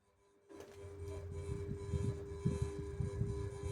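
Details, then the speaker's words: SMC Omega KW52 ceiling fan (December 2008) with a clipper light kit, running on low of a 5-speed control. A steady low buzz rides over the soft rhythmic whirr; the buzz comes from the light shade, and the owner suspects a bad capacitor. "Now, by the way, that buzzing noise you hear is just for shade. Yeah, that that um that buzzing noise you hear is just the light shade."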